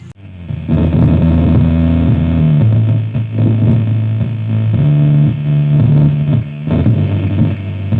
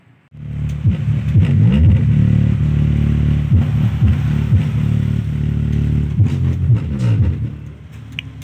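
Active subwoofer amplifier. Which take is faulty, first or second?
first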